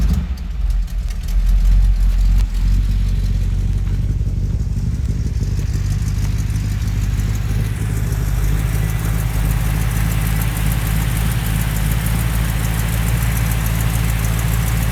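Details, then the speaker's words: 1969 Chrysler Newport big-block V8 with glass-pack exhausts and one-year-old pipes: a deep, even burble at idle with a mellow rumble, smooth with no misses or knocks. "See, it idles nice and smooth. It's got glass packs underneath it."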